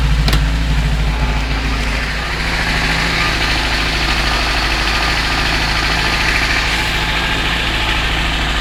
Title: Стук двигателя УЗАМ 412